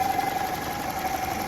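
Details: Toyota 5S-FE engine at idle: steady mid-pitched hum over a quiet, even idle; a replacement PCV (crankcase breather) valve that isn't working is to blame.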